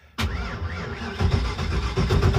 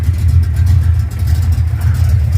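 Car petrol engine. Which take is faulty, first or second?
first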